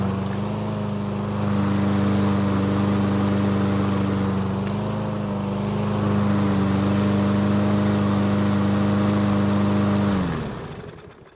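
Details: Craftsman push mower that wouldn't start, first start after fitting a new carburetor and refitting the sharpened blade: steady, even engine drone holding constant pitch for ten seconds with no surging or misfires before shutdown; runs normally.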